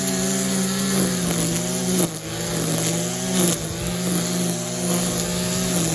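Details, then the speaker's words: Stihl KM94 RC combi powerhead with strimmer attachment, tested after a rebuild with new bearings, seals and carb work following years of hard use: steady, smooth two-stroke drone holding an even pitch with slight throttle dips; running cleanly, healthy. "so yeah you saw it in action i've just gotta finish it off and hope i'll do that a bit but i didn't think he wanted to see too much to him in but um yeah it's right it's running well"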